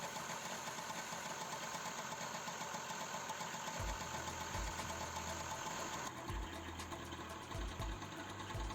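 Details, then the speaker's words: Honda Kinetic scooter, hard cold-morning starting, after cleaning dirt from carburettor bottom: started with one kick of the kickstarter, small two-stroke now idling steadily and smoothly with no stalling or hunting. "şimdi temizliğini yaptıktan sonra motorunuz rahat çalışmaya başladı arkadaşlar"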